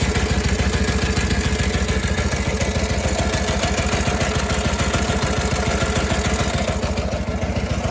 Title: Harley WLA 45 Flathead strange idle sound